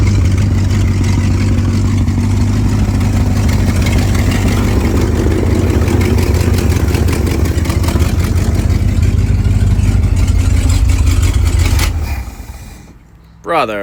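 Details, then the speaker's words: 1968 International Loadstar 392 V8, first run after tapping the carburetor bowls (likely a stuck float), new Holley inline electric pump, choke used: lumpy idle about twelve seconds, then revs sag and it stalls. Owner says idle needs adjusting; cause not confirmed. "Sounds like it's gonna die. Idle needs adjusted."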